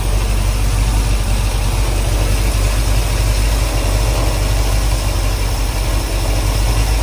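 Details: 1968 Suburban with 5.3 LS V8 swap after cam sensor, wiring harness and loose ground fixes: deep, steady idle with even firing, no misses, knocks or stumbles; running great.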